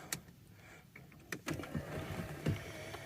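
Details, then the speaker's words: Junkyard power seat for a Chrysler Town & Country: sharp clicks and clunks, then a thin motor whir running on without the seat moving to stow position; seat mechanism broken. "they don't work back on that one's broken i don't know if you can tell or not but this is to be should be going to stow position"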